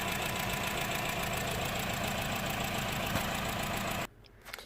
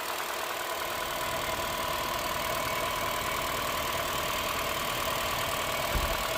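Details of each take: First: Honda Jazz 1.2 petrol idling rough with engine light on, lumpy stumbling beat from misfire on cylinders 2 and 4; coils and injectors already swapped elsewhere. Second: 2012 Honda Jazz 1.2 petrol after repair of misfire on cylinders 2 and 4 (coils and injectors previously swapped by others); steady, even idle hum with no stumbles or skips, no warning lights; normal idle.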